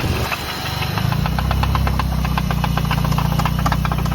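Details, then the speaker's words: Nissan Silvia S14 with SR20 on E85, shortly after a first test drive: sharp, even ticking knock at three to four beats a second over idle; oil seen pouring from the valve cover onto the injectors. Valvetrain knock. "今ちょっと変な音してて何この音。"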